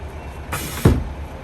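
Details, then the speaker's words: Foretravel motorhome air-operated step cover after the stuck-open Norgren valve causing an air leak was replaced. When the key is turned off, a short rush of air is followed by a sharp heavy thump as the step cover slams shut far too hard and still needs adjustment. "So now we just need to figure out how to fine-tune the step and cover to close properly before someone loses a foot."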